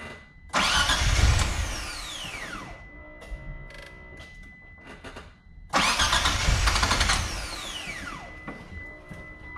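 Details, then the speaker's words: Mitsubishi 3000GT VR-4 during install of a new AEM fuel pressure regulator, gauge and fuel pump: two long bursts of steady cranking at about four turns a second with no firing; no fuel pressure. "no fuel pressure there's no fuel pressure"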